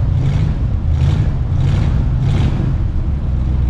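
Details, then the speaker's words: Cold-weather start of a classic V8 (1968 Ford F100 or 1965 Mercury): a rough, lumpy idle that swells and sags about every second. The owner suspects the carburetor was adjusted out too much the day before. "might have adjusted the carburetor out a little bit too much there she is folks"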